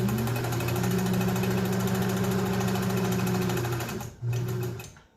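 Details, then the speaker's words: Restored Kenmore 120.49 rubber-wheel-driven sewing machine, final sewing test, microphone close to machine: steady even needle chatter about three to four stitches a second with smooth motor hum, slowing cleanly; working well. "and she's working great being a rubber wheel driven mechanism rather than a belt or gear driven it's a little bit not noisy but you can hear that bu"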